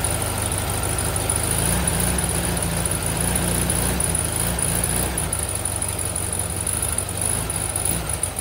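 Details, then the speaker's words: VW Sunbug air-cooled engine idling just after reinstallation alongside a rebuilt transmission: an even, low chug of about three beats a second with no knocks or misses. It runs as well as before removal; normal idle. "all right the engine's back in sounds good it's running just as well as it did when it came out"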